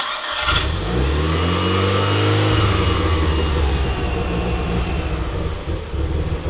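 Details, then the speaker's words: Mitsubishi Lancer Evo IX petrol engine starting and settling into a slightly uneven idle with a thin high whistle: intake manifold vacuum leak at the gasket from a loose bolt, confirmed when brake cleaner raised rpm. "That whistling noise that you guys heard was my intake manifold. One of the bolts was pretty damn loose"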